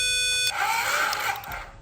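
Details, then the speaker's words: Vandalised 2010 Ducati 848, ignition on, starter powered directly with a Power Probe: after a short tone a high, even electric whirr runs about a second and fades; starter good, and the solenoid is suspected for the no-start. "so the starter is good you can hear it so you are getting power to the solenoid"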